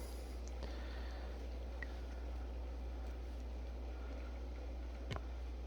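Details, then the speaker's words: Aquafor Morion reverse-osmosis filter: steady deep hum with vibration felt by hand while water feeds, coming from the inlet valve under the cover. "люди снимают видео ну проблема не решается то есть будет подача подача идет гул страшно стоит у меня возможность то есть можно определить даже взять в руки и прям чувствуется вибрация"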